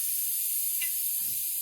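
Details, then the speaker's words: All American pressure canner after processing raw-pack pork, pressure down to zero: soft thin steady hiss as the weight is lifted with a hot mitt, leftover steam escaping; normal residual steam release. "Use a hot mitt to take this off because it's going to be hot. You might hear a little bit of air coming out."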